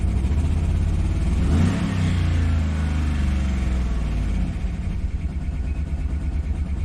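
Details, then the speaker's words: 2013 Chevy Tahoe ex-police LS V8, good oil pressure; codes multiple cylinder misfire, throttle position sensor, cylinder 1 and 4 deactivation; lumpy loping idle after brief rev, owner first suspected DOD lifter, cause unconfirmed. "multiple cylinder misfire thr position Escape let's erase all those codes and let's check them again see if they're still there"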